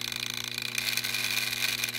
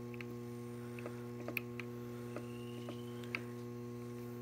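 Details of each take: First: DJI Phantom 3 drone camera gimbal making a gritty, fast-fluttering grind over a low hum, with jello/wavy video; owner's forum-sourced fix is a loose mounting screw. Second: DJI Phantom 3 gimbal after the fix, camera gimbal screw adjusted with second-smallest Allen key; steady low electronic hum with a few light clicks, the previous grinding noise gone.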